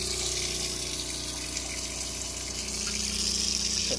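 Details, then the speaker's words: Off-grid plumbing test, pump drawing from tank through accumulator tank: water rushing with fast uneven pulsing about four beats a second, sounding like a machine gun; owner suspects accumulator tank air pressure not dialed in. "so the accumulator tank the reason that this thing is well it's a pretty safe stream but the reason it sounds like a machine gun right now is because the accumulator tank I don't think is dialed in"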